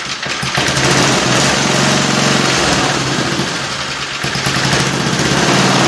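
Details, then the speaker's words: Small single-cylinder engine (60,000 series) for a mini bike build, valves set 5–7 thou intake, 9–11 thou exhaust: steady speed, even quick exhaust beat, no knocks or misses; runs fine, may need more tune-up. "All right, I'm happy this thing is running. Just like to hear it run, you know?"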